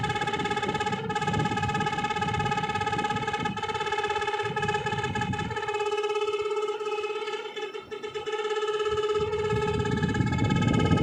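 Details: Hitachi split AC indoor unit running with an abnormal, steady loud droning buzz at a fixed pitch plus a rough rumble.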